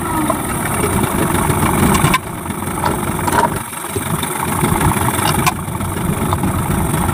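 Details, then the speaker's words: Yamaha 15 hp two-stroke outboard after cleaning the stuck piston rings and the clogged exhaust: starts quickly with even burble, picks up and settles smoothly, power restored. Normal idle. "Sangat mantap, cepat hidup, kemudian tenaganya sudah los."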